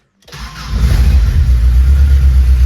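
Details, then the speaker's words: 1999 Subaru Legacy 2.2 engine swapped into a VW bus, started the day after first running, fuel pump cycle then brief crank, no coolant in it: catches immediately and settles into a strong, rock-steady low rumble; healthy. "just fires right up now I don't have any coolant in it so I'm not going to run it very long great I mean it is Rocksteady perfect"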